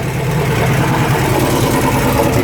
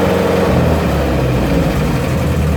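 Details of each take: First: 1972 Range Rover (A suffix), after adjusting the gear change with a feeler gauge to fix a second-gear problem: idle drone, second engages cleanly with no crunch; gearbox good, though third and fourth now won't select. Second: 1972 Range Rover (A suffix) with tight engine on a start-and-charge booster, ignition roughly set, exhaust blowing: harsh grating bursts as second gear is selected; owner suspects the reverse gear selector adjustment above it, not second gear.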